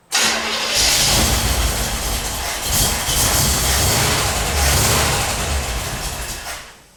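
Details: 1977 Corvette unstarted for over 6 years: steady cranking about three to four beats a second with a brief backfire pop, never catches; crank, no start.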